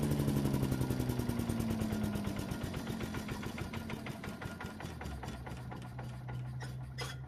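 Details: Yardman leaf vacuum/mulcher small single-cylinder engine after cleaning the carburetor and reassembling: steady popping that settles to an even beat without misses; runs healthy and smooth, warming up for an oil change.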